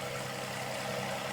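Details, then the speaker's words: 2005 Toyota Sienna V6 at idle after a spark plug change: steady, even, smooth idle hum with no misses, stumbles or knocks; normal idle. "it is you can hear the engine running hopefully so smooth everything looks nice"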